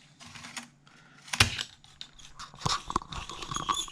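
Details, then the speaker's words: Atari STFM floppy drive reading a cheap test disk after head cleaning: irregular bursts of scraping, screeching crunches, with the head apparently grinding the disk surface and carving a groove into it; owner thinks the drive is dead and needs replacing. "I tried to run a disk and it's making a horrible screeching noise"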